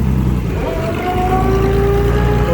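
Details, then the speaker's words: Massey Harris 102 Senior tractor, first run in 10 years, driving in gear (second/third): steady engine drone with clear whine rising in pitch; noisy gearbox, owner thinks third saw much wear, first quietest; rear end fluid unchecked. "that's a noisy one I think a lot of work was done in third on this one so I first third's the quiet or first is the quietest"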